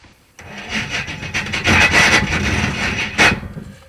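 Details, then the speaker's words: 1974 Jaguar drag car with swapped engine cranking: harsh rasping grind in bursts as the starter fails to mesh cleanly; the starter was found loose and falling off, dangling, then refastened. "Starter's very unhappy."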